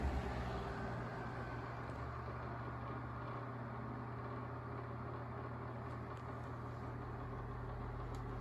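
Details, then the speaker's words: Sears 12-inch oscillating fan 453.80120 back on low speed with oscillation on: steady low motor hum with a faint uneven rattle that picks up while oscillating; worn motor bearing. "what the oscillation has to say and of course the rattle picks up while the oscillations on oscillation just tends to aggravate any issues"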